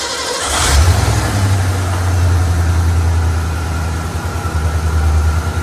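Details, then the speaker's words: Truck ("Old Ferd") after front-tank fuel pump replacement and tune-up: catches after brief crank and settles into deep steady even idle; runs perfectly fine at idle though an unresolved issue remains. "It's just weird because it runs perfectly fine at idle."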